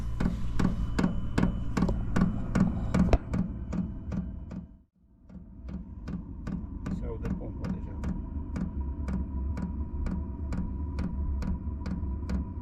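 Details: Diesel heater installed in an Iveco Daily 4 camper conversion: at heater startup the dosing pump gives sharp, regular clicks about two and a half times per second, which is normal.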